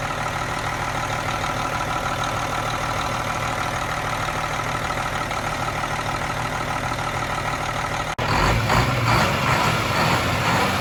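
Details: Cummins M11 diesel semi truck after priming/bleeding the fuel system following new fuel lines: steady even diesel clatter at idle, then a clean rev that holds smooth, no stumble; system bled, no more air bubbles.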